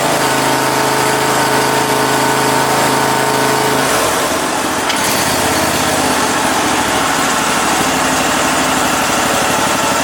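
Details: Cub Cadet Super 2082 riding mower small engine, sat at least two years, air cleaner off, needing choke each start; loud steady even patter, settling after a brief change; runs normally now.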